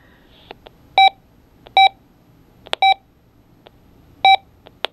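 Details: Radio Shack Micronta Vox Clock 2 talking clock from 1986, with good batteries, button pressed: short steady mid-pitched beeps at uneven gaps of about a second with faint clicks between. It beeps erratically instead of speaking.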